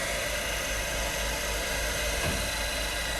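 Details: Cincinnati #2 tool and cutter grinder, a working machine, started up: steady, even hiss and hum with no knocks or rough spots; spins smoothly and quietly, sounding healthy.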